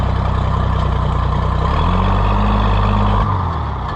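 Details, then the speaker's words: Oliver 880 tractor: heavy low chugging at about four beats a second picks up briefly, then cuts out abruptly and fades; the engine starts but stalls. "No, come on now. I was just bragging you and you let me down. Darn."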